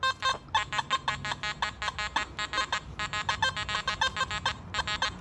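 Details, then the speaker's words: Simplex metal detector in Park 1 at full gain over heavy iron: quick, clean, regular high beeps keep coming through at this coil angle, a clear target signal amid the iron. "still coming through. Hear it? All my detectors hit it really good at this angle right here."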